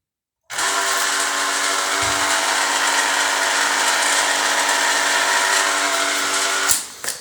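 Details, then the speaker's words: LG washing machine: loud steady electric hum then cut-off, the drain pump running but very noisily; the pump sits at the bottom behind the lower panel. "если у вас когда машинка работает такой звук то значит это помпа виновата Она работает но почему-то очень шумно"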